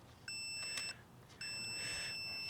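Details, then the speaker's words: Multimeter continuity test on the CD player drive fan contacts from a junkyard part for a 2006 Saab 9-3. Two clean, steady high-pitched beeps over a quiet background show continuity, a good circuit. "you should hear that when i hit each contact together"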